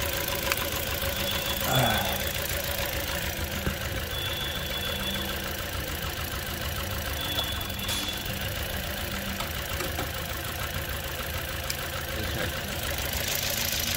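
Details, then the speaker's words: 2008 Toyota Corolla ZRE152 at 151,000 km, check-engine light on, shuddering: idling after the ignition coils were swapped between cylinders; uneven, stumbling lumpy beat as one cylinder barely contributes, pointing to a weak coil to be replaced. "we definitely need a coil on this one you can hear that it doesn't make much of a contribution"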